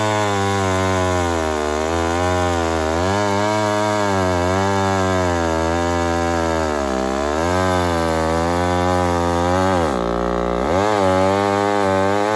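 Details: Homelite 1050 100cc two-stroke chainsaw with 404 chain, on its first test cutting wood: it bogs and surges unevenly, pitch dipping and recovering under load. Owner suspects an air leak.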